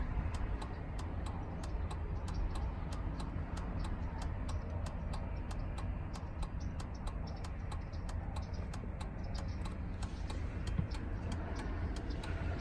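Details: 2003 Chevrolet Suburban after flasher module replacement, tested with the new module. Crisp, perfectly even ticking a bit over two clicks a second, no stalling or speeding up; flasher working as it should.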